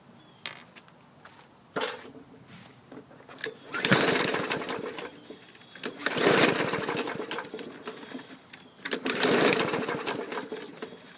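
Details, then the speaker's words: 2016 Bolens push mower that sat outside, after spark plug changed (it had spark, maybe weak): three pull-start bursts with no firing, cranks but won't start; felt like it had compression, owner suspects push rod issue or rusty coil contacts. "dead in the water on the 2016 bowlins so i'm going to have to look at this thing it felt like it had compression could be a push rod issue i don't know"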